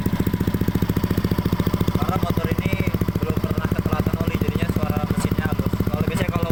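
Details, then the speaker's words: Used Yamaha Aerox scooter being checked before purchase, idle settling after a slightly high start-up: even, steady putter of about three and a half pulses a second with no ticking or rattle; the engine sounds smooth and healthy. "Kalau untuk suara mesin masih halus ya mas, ya kawan-kawan, halus semua."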